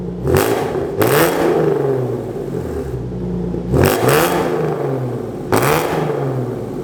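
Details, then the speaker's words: Hyundai Genesis with newly installed headers and H-pipe, three quick blips climbing and falling with a coarse buzzy edge on the exhaust note; rasp persists, not fully eliminated, tune planned. "i am sort of happy i'm not gonna lie the rasp is not completely gone because it's still raspy"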